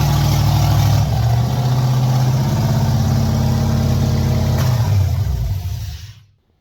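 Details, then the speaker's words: 1989 Chevy S10 Blazer with 5.3L LS from 2000 Silverado, LS1 intake, LS6 valve springs, stage 3 cam, NV3500, 58 psi fuel pressure, first start after engine install: deep, even V8 rumble at fast idle, seemingly hitting on all eight cylinders; runs normally. "finally it runs sounds good hitting on all eight I think see you next time"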